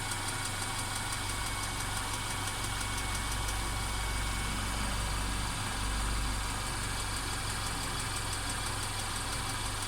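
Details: Mercedes CLA 250 engine at steady idle with a persistent faint, uneven rattle, about four taps a second; car also stutters when accelerating after long slow driving; rattle cause unknown.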